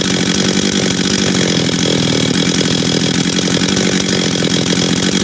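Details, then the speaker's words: Husqvarna 385 chainsaw, first start after reassembly, first heat cycles: crisp steady two-stroke buzz at high revs with clean even firing, no stumbles; sounds good, idles good. "hold on work he right work sounds good idles good good"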